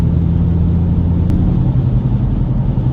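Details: 2007 Nissan Xterra with 218K miles, driving straight: a deep, steady rumble that quiets in a right turn and returns when straightening, from a rusted worn right front wheel bearing before replacement.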